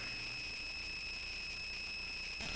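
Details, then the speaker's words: A steady high whine of two or three fixed tones over faint hiss; the owner is not sure why it is so noisy. "all right and I'm going to mute that because that is a very annoying sound and I'm not quite sure why it's so noisy"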